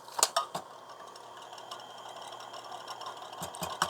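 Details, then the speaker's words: TRS-80 Model II 8-inch floppy drive run from a PC, AC motor on, disk inserted: short bursts of light metallic clatter over a faint motor hum. The noise is the disk clamp, nothing else; disk clamp rattle. "this thing is kind of noisy it's the clamp here on the disc so that's not anything else making that noise"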